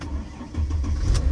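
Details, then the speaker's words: Mercedes with a recurring drained trunk (auxiliary) battery, recharged and jumped; engine restarted after alternator confirmed good: short crank, catches straight away into steady low rumble. Normal start, but owner suspects the main battery and expects the system to pop on. "She cranks right up, so, but the system still probably gonna pop on."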